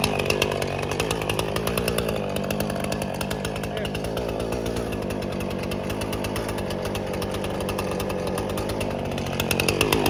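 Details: Free Husqvarna 455 Rancher chainsaw, unrun for about 3 years, revived with carburetor cleaning and repair, cutting limbs: holds a strong, steady high-pitched buzz under cutting load and picks up crisply at the ends; running healthy.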